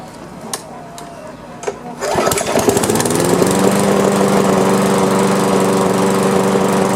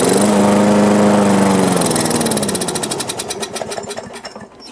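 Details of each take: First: Old Briggs & Stratton lawn mower that would not start, after repair: catches after a couple of pulls and settles into a smooth, steady, even-note run; healthy engine. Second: Old Briggs & Stratton lawn mower that would not start, with the air cleaner off and carb cleaner sprayed in: it catches with a brief drone, then fades into slowing pulls. The likely cause is a loose safety cutoff (kill switch) mount.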